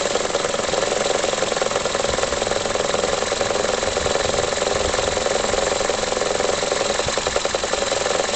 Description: Toyota Corolla E12J '04 faclift 3ZZ-FE idleing rough. any ideas what it could be ?